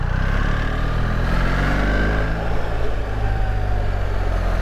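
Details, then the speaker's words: New BMW R1300GSA on the road: steady engine drone under wind rush with a thin high whine above the engine note; exhaust whine, which the rider hopes to remove on his R1300GS with decat headers (cause suspected). "Still got that horrible whine. That's what I'm trying to get rid of with mine at the moment."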